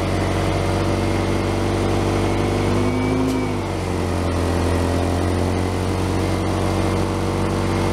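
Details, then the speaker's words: 2001 Honda CR-V petrol engine idling with a deep, slightly raspy rumble and a faint puffing beat from an exhaust leak, heard during its yearly inspection; a tie rod issue was also found. "you can hear the exhaust leak we got a fix and a tie rod issue"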